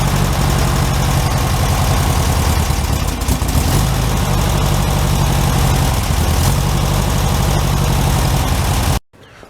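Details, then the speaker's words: 1967 Volkswagen Karmann Ghia convertible flat-four, first real start after oil cooler leak repair, weak battery: freshly started engine chugs with uneven, lumpy idle that never settles; rough idle needing adjustment, no oil leaks. "for sure we can sort that idol out mostly what i want to see is if it's leaking oil"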